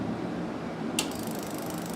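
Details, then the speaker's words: Normal fuel injector clicking on a homemade ignition coil and injector tester: a single sharp click over quiet room hum as the injector valve opens and closes, pulsed through the coil leads with no polarity needed. "Aqui está o barulhinho característico do bico injetor."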